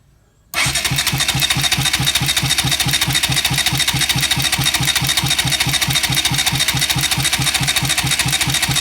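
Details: Bajaj Rouser NS200 cranked in neutral with the spark plugs disconnected to check oil rising and listen for odd noises: smooth, even cranking whir with regular pulses, a bit over two per second, no knocks, ticks or grinding; healthy cranking, oil slow to rise.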